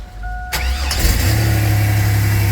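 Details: Chevy 2000 Astro, cold engine, after replacing the crankshaft position sensor that caused crank-no-start and stalling: short crank, catches at once into a steady even idle, normal cold start.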